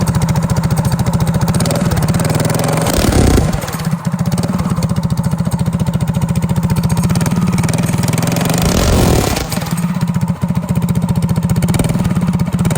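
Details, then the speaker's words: Go-kart single-cylinder engine, freshly remounted and started with its crank-up starter: steady, fast putter with a couple of brief throttle blips, no misses or knocks, running healthy and sounding pretty darn good. "This is one of them crank up starters, and then we'll fire it. This thing sounds pretty darn good."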